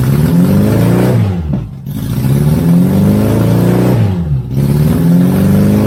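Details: 1983 Honda Goldwing GL1100 barn find, first run after fresh gas and a fuel filter, old oil still in: flat-four catches and revs freely twice, dropping back cleanly between blips with no misses or clatter, running properly while warming up.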